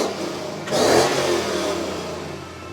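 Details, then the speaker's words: Project bakkie with newly fitted V8 and exhaust: one sharp throttle blip climbing crisply and settling smoothly to idle; healthy, clean, crispy exhaust note. "Yo, it sounds nice. Eh? I like the sound of this thing."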